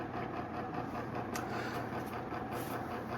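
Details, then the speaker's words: Antique Hunter R-36 "Original" 36-inch ceiling fan with metal blades, up to 90 years old, on high speed: a steady low motor hum carried through the blades with a soft airy whoosh, no ticking or scraping. Healthy. "And then high speed. The disadvantage of metal blades, you can hear the motor hum through them."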